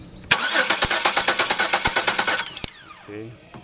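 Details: 2002 Chevy Venture 3.4L with good spark but no injector pulse: the starter spins the engine at an even three turns a second and it never fires; a cam sensor fault is suspected.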